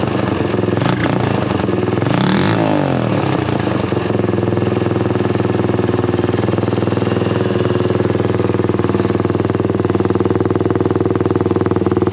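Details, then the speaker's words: Honda XL175 single-cylinder dual-sport at idle after exhaust/muffler replacement: steady, deep thump with some handling noise early on, not much quieter but a deeper, mellower note; exhaust sounds healthy. "you know like i said i didn't think it was going to be that much quieter it's kind of a different uh deeper sound i wish it was a little bit quieter"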